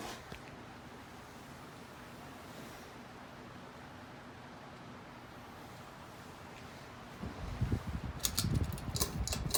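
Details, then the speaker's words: Hunter Caribbean Breeze ceiling fan made May 2013, on high speed: soft, steady airy rush like beach waves, no ticks or wobble; normal operation. "and here's high speed you can probably hear it on this speed i'm pretty sure this one goes faster than the western design it doesn't do a bad job either"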